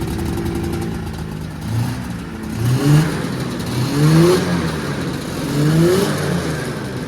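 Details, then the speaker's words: 1979 Yamaha SRX snowmobile two-stroke after fuel and cooling system work and fuel pump issues, first run with cooling system hooked up: three clean throttle blips over steady idle, rising and falling smoothly without stumbling; normal, healthy revving. "run sounds too bad to me I'm pretty healthy"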